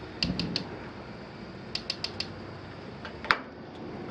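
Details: Battery-powered igniter checked during a home inspection, no mains power needed: sharp dry clicks in small bursts, a few per second, over quiet hiss; normal igniter sparking.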